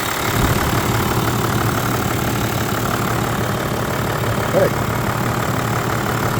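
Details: Toyota Land Cruiser 100 Series with 1HD-FTE turbo diesel, first start after blind purchase: steady low diesel rumble at idle, even beat, no knocks or misses, no smoke, purring; normal diesel idle.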